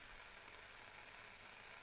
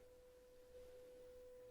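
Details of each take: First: Graetz Super 171W tube radio, first power-up through a lamp limiter at about 750 mA and 251 V B+: a faint, steady hiss from the speaker with no hum. The cause is not yet traced. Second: Graetz Super 171W tube radio, 500 Hz signal-generator tone fed to the output transformer primary at EL84 pin 7: clean steady tone from the speaker, no buzz or distortion; output transformer fine.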